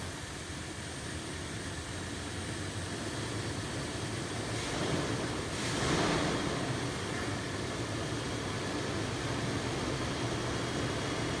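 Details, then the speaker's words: Toyota 4Runner restarted after throttle body cleaning, hose clamp retightened, engine cover off: an even low rumble that swells briefly and settles to a steady smooth idle with no misses. "once you have the hose clamp tightened down before you put the engine cover back you should start the engine just to make sure it starts up correctly it's a little bit harder starting at first but it should fire"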